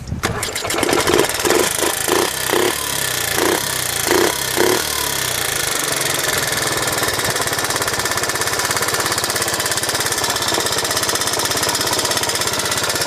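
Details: 1986 Honda Z50J Monkey, after rebuild with exhaust and carburetor repair: brief blips while starting, then quick even single-cylinder putter holding steady without misses; running good.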